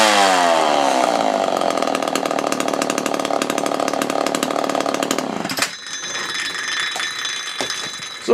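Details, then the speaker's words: Homelite Super XL chainsaw after repair, including a damaged reed valve that forced fuel back from the carb to the tank: revs down from high speed into a crisp, steady two-stroke run before shutoff; strong and clean, carb may get slight fine-tuning. "So Bob, as you can see, this thing is running pretty darn good. I'll probably fine-tune the carb just a tiny bit more, just to make sure everything's nice and running clean."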